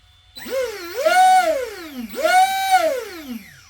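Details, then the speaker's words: Arrma Kraton 6S EXB RC monster truck, new, on 6S: two rev-ups with whistling whine rising and falling with motor speed, no rattle or vibration; appears to come from motor, diffs suspected, not confirmed. "there is a high pitch noise coming from the motor"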